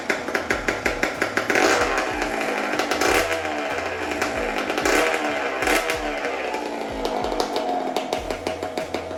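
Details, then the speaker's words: Rebuilt Honda CR125 two-stroke with a Pro Circuit pipe, at first startup with no intake fitted: a crisp, quick popping idle rises cleanly on throttle blips and settles without stumbling. Normal two-stroke running. "foreign runs very well I'm actually very very surprised so I'm very glad"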